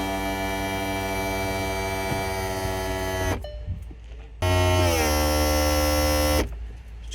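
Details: 2006 VW California after the camping control panel was swapped; with the fridge switched on, a steady electric hum with a clear pitch dips briefly, then settles: compressor fridge running normally.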